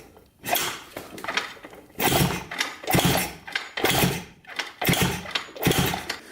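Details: 1980 Honda CR250 dirt bike, reported no spark, kicked over after fitting a coil while checking for spark with the plug grounded to the head: short thrashing churns about once a second with no catch. Cranks, no start; no spark seen.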